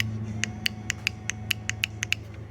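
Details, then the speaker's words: Transfer clutch solenoid from 91 Subaru Legacy 4EAT 4WD (binding and hopping in low-speed corners), bench-tested with jumper leads to battery: about ten crisp, clean clicks; solenoid snapping in and out properly. "Um, just some jumper leads. And we'll just touch this and see if it clicks. So, you can hear it click."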